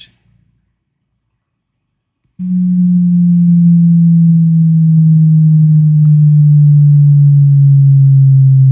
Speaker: we're just listening to see if that setup Chime sounds nice and clean that sounds good